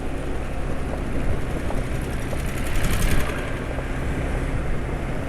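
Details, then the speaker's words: Scooter riding after changing from Piccoli GTX oil to thicker Petroasia Revol 20W40 (yellow bottle). Steady, even low engine drone with no knocks or rattles. The owner credits the smoothness to the thicker oil. Normal running. "Bisa halus ini sepertinya karena olinya lebih kental ya daripada oli sebelumnya."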